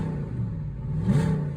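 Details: Audi A8 D2 V8, first start after replacing the fuel pump and the fuel pump fuse: a deep, steady V8 note catches and swells smoothly under a throttle blip with no misfire or stumble. It runs healthy.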